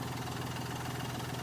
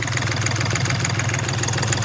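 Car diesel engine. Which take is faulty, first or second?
second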